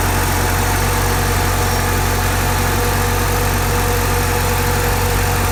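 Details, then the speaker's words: Porsche 944, warmed-up engine, fast steady idle around 1,400–1,500 rpm before adjusting the throttle; even and smooth but idle speed set too high (stock is about 950–1,000 rpm). "So it's warmed up and it's at about 1,400 RPMs, 1,500, something like that."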